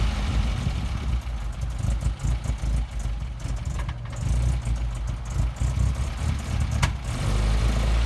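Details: 1971 MGB being resurrected after sitting, before carb tuning: rough, lumpy idle with uneven low thumps and occasional dropouts in the beat; engine misfiring at idle.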